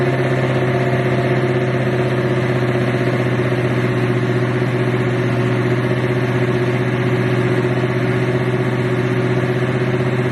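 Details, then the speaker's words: Regal carbureted engine idling cold with a chokeless carburetor and the air cleaner off; a steady low drone with an uneven throb and no revs rising. Owner says it needs tuning. "I ain't finna lie to you. She rough, man. With that tokeless. That carburetor with no choke horn. It needs some tuning too."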